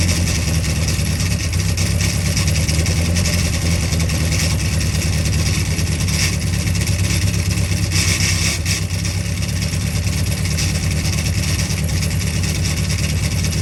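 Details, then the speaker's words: Freshly built Carter 998 engine running on the dyno under steady load, carb being set up, about 80 psi oil pressure. Deep, full-bodied running with even firing and no rattle or knock. Sounded sweet; normal running. "Wow, well, it ran, and it actually sounded really sweet once the carb's setting up a little bit, but I think it'd be fine."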